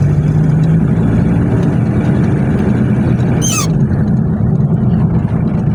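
Low, steady diesel drone with a light clatter while pulling, no knocks or misses standing out; normal running diesel.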